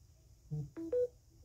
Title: phone beeps while charging